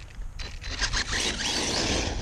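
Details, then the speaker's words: Kraton RC basher on 4S with gentle throttle: harsh, uneven scraping and rubbing over the motor whir. The front driveshaft diff output grub screw had backed out and was slipping on the input shaft. "and give it a little bit of gas it sounds like something is something is rubbing yep I think so too"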